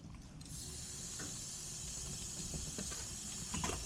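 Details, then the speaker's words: Lennox package heat pump, not cooling, no refrigerant; condenser coil patched then pressurised with nitrogen: steady high-pitched hiss over low rumble, gas still escaping, leak location unknown, possibly same spot on bottom. "tells me I believe there's still some leakage. Oops. I can hear it leaking. I don't know from where."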